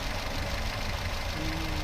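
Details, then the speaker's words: Daihatsu Terios unused for a week, now warm (it was rougher when cold): a low, uneven, loping idle with faint knocking and noticeable engine shake. Valves suspected; the temperature gauge was found swapped, suggesting possible past overheating. "Goyang mesinnya memang agak sedikit tidak normal."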